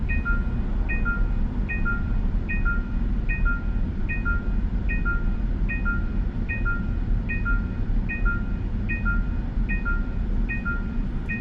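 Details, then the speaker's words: Genesis GV70 facelift 3.5 turbo in Highway Driving Assist below 30 km/h in traffic; two-note hands-off-wheel warning chime repeating about every 0.8 seconds over low road rumble, ignored until the system disengages. "지금 제가 지금 쓰고 있는 고속도로 주행 보전은 시속 30km 이하 저속 주행을 해도 핸들을 쇼라는 경고가 이렇게 금방 뜨는 편이네요 경고를이 상황에서도 무시하게 되면 어떻게 될지 한번 보겠습니다"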